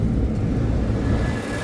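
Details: Trane package AC unit, customer reported thumping and on-off cycling, after drain cleared and cooling called from thermostat: steady, even low rumble from compressor and fan, no thumping or cycling; cooling normally.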